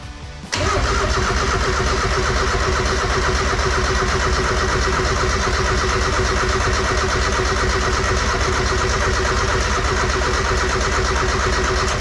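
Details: Mazda Miata nearly finished build, clutch in: starter churns steadily about three turns a second for over ten seconds, never firing. Owner suspects the idle air control or throttle position sensor wiring.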